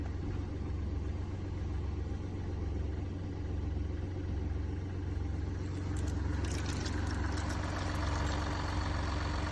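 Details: Mini Cooper D three-cylinder diesel at steady idle: loose, uneven low rattle underneath that gets busier as revs rise, from a broken dual mass flywheel, which holds the clutch springs and fails through wear and tear.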